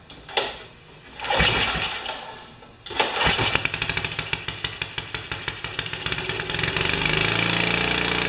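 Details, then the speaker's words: Ariens snowblower, 4 HP Tecumseh engine, after exhaust valve grind restoring compression: catches after a couple of pulls and smooths into a steady, even buzz within seconds; healthy running. "so that's what a little compression will do for you"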